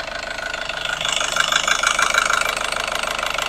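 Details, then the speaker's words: Nissan X-Trail T30 with white smoke, after 10 minutes warming up at idle: sharp crackling rough knock about three per second over an uneven idle, disappearing when revved; knock at warm idle, cause not confirmed. "Nah ini teman-teman, setelah kita tadi biarkan 10 menit, itu langsung muncul suara seperti ini, kasar."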